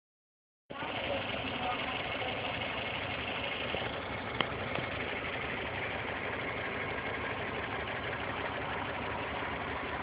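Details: 1990 Toyota Corolla 4A-FE four-cylinder petrol at idle: steady light ticking over the engine note; valves and timing within spec, compression 135 psi on all four cylinders, cause unknown.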